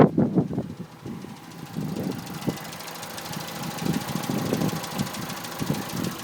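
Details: 2006 Citroën C2 VTS at idle: irregular light taps a couple of times a second over a soft hum, a tapping noise from the top end; cause unknown.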